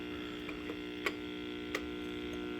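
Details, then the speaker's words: Original Asteroids Deluxe cocktail table: steady low mains buzz with faint ticks, going quiet then buzzy in and out, traced to the AR (audio regulator) board; ground loop hum to be fixed there first. "Yep, see, it gets quiet. And then it gets buzzy. So it's definitely on the AR board. So that's what we're going to have to tackle first to get rid of that buzz."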